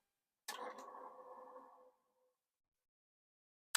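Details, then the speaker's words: Commodore 2031 floppy disk drive, first power-up after a long time unused: rough whirring scrape for about 1.5 seconds, then a click; noisy spindle spin-up, possibly needing lubrication. "Now, the sound is not great, but must you must remember that this has not been spun in a long time. So, I would bet that it needs or would like some lubrication in there. It sounded noisy, but it did spin."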